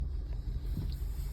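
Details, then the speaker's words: 2015 Kia Forte idling with a deep, uneven, lumpy stumbling rumble and vibration; a scan showed a misfire on cylinder 1. "guys so this video is for educational purposes this is basically how a cylinder misfire feels like on a Kia Forte 2015"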